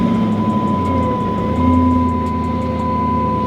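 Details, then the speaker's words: Hemi V8 (about 370 hp) car with 189,000 miles, started while being inspected for purchase: smooth, even low rumble with no knocks or misses over a thin constant high tone; normal idle. "oh man sounds good now the crazy part is guys this car has a hundred and eighty nine thousand miles"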